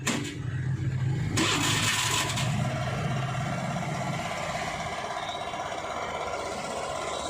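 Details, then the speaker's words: Hero Maestro Edge BS6 scooter started after sitting two to three days, quick start and brief rev, then a steady, even idle with no stumbling; normal idle after fixing the hard-start fault. "வண்டி வந்து ஹைட்லிங்ல வந்து கரெக்டா வந்து ஓடிட்டு இருக்கு இப்பதான் வந்து ஒரு ரெண்டு மூணு நாள் கழிச்சு நம்ம வந்து ஸ்டார்ட் பண்றோம் பக்காவா வந்து ஹைலிங்கும் கரெக்டா ஓடுது"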